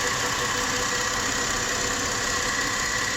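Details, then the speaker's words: 2003 Chrysler Sebring 2.7 after a used-engine swap, with a crank-no-start when the cam sensor is connected and a bad cam wheel. Idling with the cam sensor unplugged, it shows a steady, fairly smooth beat and no obvious misses; runs surprisingly well. "this thing runs pretty damn good with that cam uh with the bad cam cam wheel on there surprisingly well"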